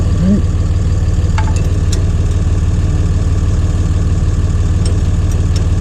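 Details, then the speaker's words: John Deere 2030 tractor diesel, Stanadyne/Roosa Master injection pump just refitted after overhaul and calibration: steady starter chug about three beats a second, not firing yet, while injector lines are bled. "we're gonna tighten the lines up and it should go kicking off here just a little bit now or at least get smoke coming out the exhaust"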